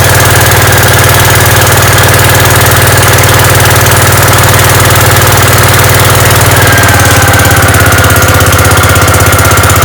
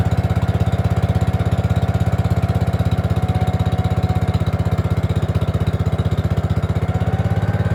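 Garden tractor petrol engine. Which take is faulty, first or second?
second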